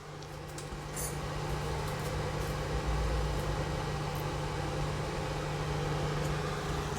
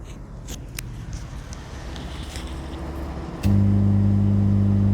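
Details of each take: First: Rebuilt 5.2 Dolby Digital remote kit amplifier after a humming fix, speakers connected: a steady low fan drone comes from the amplifier's cooling fan, with no hum through the speakers. Normal. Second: 5.2 Dolby Digital remote-kit amplifier with speakers connected, before rebuild: quiet at first, then a constant deep buzzing hum starts the moment power comes on and stops when switched off; mains hum from faulty wiring.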